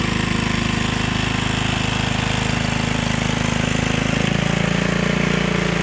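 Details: Gilson rear tine tiller after recoil cleaning, fuel seeping at tank/carburetor seam: steady even single-cylinder thrum holding speed as tines dig wet ground, no misses or surging; runs fine under load.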